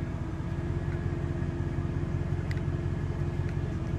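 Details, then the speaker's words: 2500 Silverado, 8.1L Vortec V8 with an Allison transmission, in drive towing a boat after the number six coil was replaced. Deep rumble with an uneven stumble about every third of a second; it still misfires at low rpm under load, so all coils, plugs and wires are to be replaced next. "here it's continuing to misfire so seems to come out of it really fast but it does have that low misfire at uh or that misfire at low rpms"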